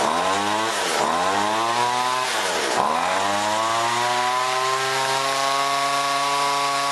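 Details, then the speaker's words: John Deere BC1600 two-stroke trimmer (Zama H46 carb), sat unused two-plus years, cold-start test run: revs climb, sag and stumble twice, then steady drone well short of full speed; owner suspects carb goop, possible carb job. "Doesn't seem to want to hit full revs. Nope, didn't like that."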